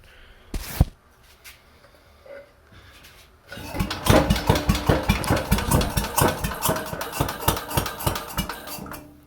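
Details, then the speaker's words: 69-year-old Briggs & Stratton 23A-FB single-cylinder with a carb seeping at its gasket, rope-started: lumbers unevenly with heavy, irregular thunks about twice a second. Owner suspects ignition before top dead center and maybe the need for higher octane. Knocking while running poorly, cause unconfirmed. "see what i mean that thunking to me sounds like it it igniting before the pistons reach the top of its travel and it's just slowing itself down"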